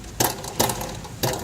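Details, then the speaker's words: Van with poorly secured aftermarket equipment fitted underneath: three sharp metallic clatters, each dying away quickly; loose underbody equipment rattle. "they got this Underhill doing this while she hitting the bump or turning look at this that is that's a noise right there"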